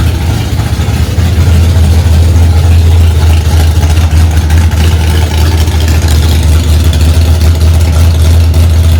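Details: 1965 Ford Mustang, freshly rebuilt 289 small-block V8 on its first start: deep, steady burble at a raised idle, even pulses with no knocks or misses; runs cleanly at fast idle.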